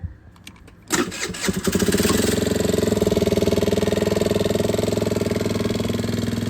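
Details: Chinese GY6 50cc scooter after battery replacement, previously dead and only kick- or jump-startable: a few quiet clicks, then a brisk crank that catches within a second and settles into an even idle; starts normally.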